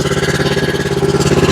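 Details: Exmark zero-turn mower, Kawasaki twin, hard to start, low power: lumpy uneven idle with a missing pulse, running on one cylinder from a bad spark plug with wide gap; choke also sticking.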